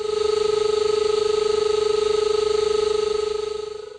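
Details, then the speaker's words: SeekTech SR-60 line locator giving a pulsing mid-pitch tone with hissy, crackly static; a fuzzy tracing line means a distorted signal, while a sharp line gives clear audio. "when the tracing line appears sharp the audio will sound clear [Applause] when the tracing line is fuzzy the audio will contain"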